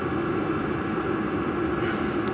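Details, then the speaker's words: VEVOR 5 kW diesel heater exhaust heard outdoors: steady breathy whoosh with low hum, no pulsing or popping; normal but about twice as loud as a natural-gas furnace PVC outlet, with the muffler making a difference. "Maybe one and a half times to twice as loud as your typical, you know, PVC pipe outlet um on a natural gas forced air furnace that you would hear on a typical house. It's probably about twice as loud as that. The muffler does make a difference."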